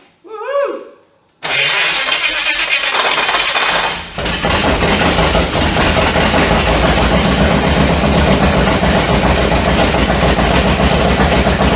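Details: HT Holden with a swapped 253 V8, first start on open straight headers after an earlier rattly no-oil-pressure attempt: a short crank, then a steady choppy idle with no knocking.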